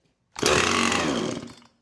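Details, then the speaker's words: Husqvarna 455 Rancher chainsaw unused about three years, started on starting fluid with choke: fires, screams about a second and a quarter, then dies; owner suspects carburetor and fuel issue. "So, it runs now. We can take your goggles off. And look, we know it's a issue with the carburetor and the fuel."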